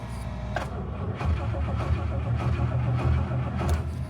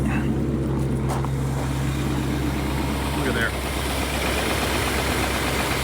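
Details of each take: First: 1967 Rolls-Royce Silver Shadow cold start after storage, 6 a.m. at about 35°F: steady cranking rumble at roughly two turns a second drags on without catching, the hardest-ever start for an engine that normally starts right up; it then runs. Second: 1967 Rolls-Royce Silver Shadow V8 cold start at about 35°F on a chilly morning after storage, harder than usual to start; low, even rumble holding steady with no misses or knocks, settling into a normal cold idle.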